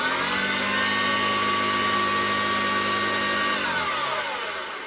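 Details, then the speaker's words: Vintage Hoover 1334 vacuum cleaner after refurbishment: high motor whine with a rough, clattering rumble underneath like a train trolley, winding down on switch-off; worn motor bearings. "I'm having issues with the bearings of the motor. It sounds like a train trolley, that's all I can say. It just sounds absolutely dreadful."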